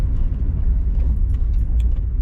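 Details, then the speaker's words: Hyundai i10 after replacing front discs and pads, test drive: low road rumble, no squeal, scrape or grinding; earlier squeal when slowing was the fully worn pad's shim/wear indicator catching the disc. Brakes need slight bedding in, but quiet now. "And yeah, it's fine now, no problems at all. Obviously the brakes will need bedding in slightly, but there's no noise."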